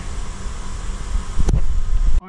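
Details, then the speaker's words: 2013 Toyota Camry started cold, stalls at stops: very slow, deep idle with uneven shudder and vibration; rpm drops below about 500 as it warms; low idle attributed to a dirty throttle body needing cleaning. "you can feel the vibration because the rpm pay attention to the rpm rpm is very low right now"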